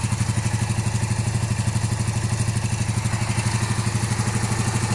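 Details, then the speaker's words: 1982-83 Honda V45 Sabre V4 cafe racer project with start problem, carburetors being debugged: low lumpy uneven idle, running only on cylinders 1 and 4, cylinders 2 and 3 dead. "So we have, it's running on 2 cylinders right now. So we have 1 and 4."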